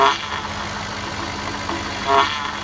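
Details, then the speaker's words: 2007 Cadillac DTS with newly replaced power steering pump after bleeding, wheel being turned at idle: smooth idle with faint pump whir, no groan or squeal; sounds as it should, though air bubbles remain in the fluid. "See, that's what it's supposed to sound like."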